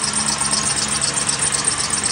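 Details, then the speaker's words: 2001 Mercury Grand Marquis 4.6 2V V8 idling: harsh, fluttering high-pitched whirr over the engine from a worn tensioner pulley bearing, tensioner visibly wobbling; belt dry-rotted, before replacing belt, idler and tensioner pulleys. "all right so you can definitely hear why my problem is you can see my tensioner is wobbling it's got a little bit of back and forth to it it's either py squalling that tension are py squalling"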